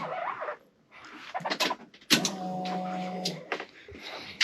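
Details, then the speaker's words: 1991 Ford Mustang GT Foxbody with a 1990 ECM/engine harness, first start attempt since the late 1990s: a steady electric hum for about a second between clicks as the fuel pump primes the rails toward 20 psi; normal priming. "Okay, we're almost at 20, so we're doing good there. Just we gotta pressurize the fuel rails. I'll click it forward 2 more times. Oh, I can hear the difference in the pump now."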